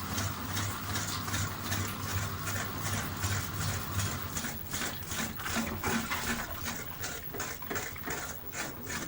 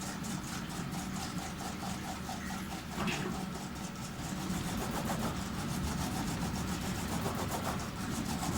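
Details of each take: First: Panasonic NA-FS14G3 EcoNavi top-loader washer on spin: drum wobbles and knocks fast, motor cuts out and restarts the cycle; clutch jamming, faulty drain valve, fixed by replacing it. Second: Panasonic NA-FS14G3 EcoNavi top-loader washer after drain valve replacement, on spin: drum whooshes, speeding up and easing off as the clutch disengages to balance wobble; normal operation.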